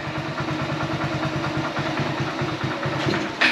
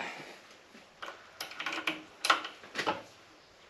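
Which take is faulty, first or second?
second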